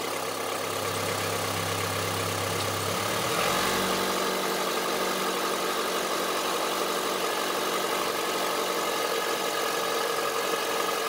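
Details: Honda CR-V III 2.4 idling: hard, clattering diesel-like knock riding over the idle tick; cause not identified.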